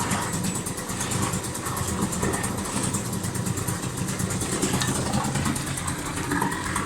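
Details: Previously submerged outboard restarted hot right after running under load with propeller engaged to dry out internal water: restarts and runs at a steady, even idle with no stumbling or misfire, healthy after drying out.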